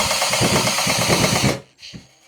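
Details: Fiskars Momentum reel mower, adjusting screw brought in during sharpening setup: harsh, rapid chattering scrape for about a second and a half as the reel is turned, reel blades in heavy contact with the cutting bar.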